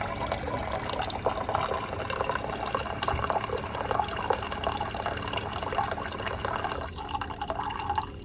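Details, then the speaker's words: SimPure Y7 countertop reverse osmosis filter, new unit dispensing after its startup flush: push the button and a steady gurgling trickle fills a container over a light hum, cutting off near the end; dispensing normally. "All you have to do, push the button and your clean water comes out."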